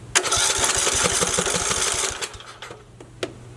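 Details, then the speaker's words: Briggs & Stratton 19 hp mower engine, fuel smelling old, cranked with starting fluid: fast, even cranking of about four pulses a second with decent compression but no pop. Spark check showed weak spark. No start due to weak spark. "Because you'd think with that starting fluid it would at least pop a little bit. Sounds like we're getting decent compression, to which we are."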